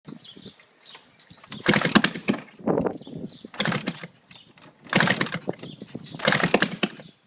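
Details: GasGas 250 with exhaust off, repeated kicks give short sputtering pops that never catch into a steady run; engine fires but won't start.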